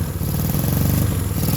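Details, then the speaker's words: 1965 Honda CB160 with 1,070 miles, revived after decades of sitting (carbs cleaned, new points and condenser, fouled right-cylinder plug found): an uneven, lumpy putter with pops, barely holding idle. Rough running. "so she doesn't run perfect but she runs you can hear kind of popping and farting a little bit come on stay running"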